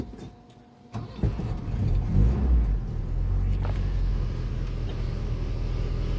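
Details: 1981 Volvo 245 after fuse panel upgrade: brief crank, catches cleanly, flares up, then settles into a steady, even idle, a healthy start.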